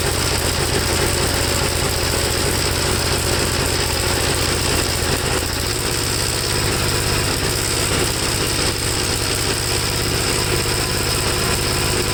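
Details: 1954 Gravely single-cylinder tractor, second cleaned carburetor, no choke, engine hot: uneven, stumbling beat never settling into a clean idle; black plug, owner suspects fuel foul from rich running, cause not pinned down.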